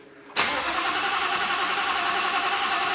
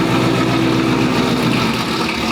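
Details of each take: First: 2019 Roush Stage 3 Mustang, first start since blowing the engine: about five seconds of steady cranking before it catches and flares rough and loud, needing throttle to keep running; cam position sensor codes, suspected circuit fault, causing hard start. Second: 2019 Roush Stage 3 Mustang V8, first start after blown engine, valve covers checked: steady choppy loping idle over deep exhaust rumble, idling by itself without throttle; minor valve cover gasket oil leak found afterward.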